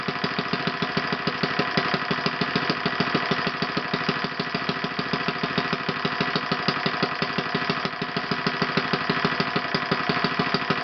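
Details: OS FS 120 PreSurpass four-stroke glow engine, bought used on eBay, test-run on a stand on 16% nitro fuel with a 16x6 prop. Crisp, even rapid firing at steady speed with no misses or knocks: runs normally.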